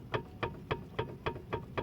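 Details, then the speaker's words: Car suspension test, iron bar levering the stabilizer bar upward: sharp hollow clunks, about eight in two seconds; the sway bar end link (bieleta) has excessive play and needs replacing. "Esse barulho significa que ela está com muita folga e precisa ser substituída, tá ok?"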